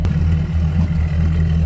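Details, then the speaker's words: Mercury outboard on a new Boston Whaler 280 with the sport exhaust turned on: steady, loud, low idle thrum, noticeably louder; the black exhaust-quieting piece is missing, otherwise idling normally. "Let's turn the sport exhaust on. A noticeable difference."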